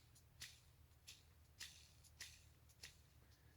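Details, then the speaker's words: 2008 Mini Cooper clutch throwout (release) bearing, removed and hand-spun: dry, scratchy rasps about every half second; no play in the bearing, but the noise means grease inside is starting to run low. "there's no play in the bearing but the fact that it makes that noise means that there's uh starting to be a little bit of a lack of grease inside"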